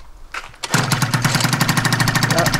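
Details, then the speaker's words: Scooter two-stroke on its first run after a build (Stage6 exhaust, variator, shocks), choke pulled: after a few tries it catches and settles into a fast, even crackle with no misses; runs clean and healthy. "Ja. Das klingt doch gut. Das klingt doch gut."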